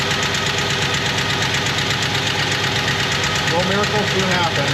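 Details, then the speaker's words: 1977 Jeep Wagoneer, AMC 360 V8, automatic, Edelbrock 1409 600 CFM marine carb, after refitting throttle linkage and spring: busy, steady idle with quick even pulses, no misses; still needs tuning; normal idle. "I definitely dial it in a little more and uh but man I that's all I wanted I just wanted it idle so this is a wonderful thing"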